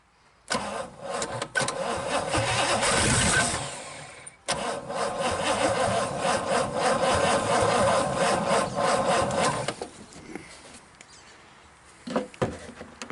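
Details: 1963 Pontiac 389 V8 first start, on jump box: cranks, catches and runs with a steady rumble and a few blips before shutting off; normal engine running.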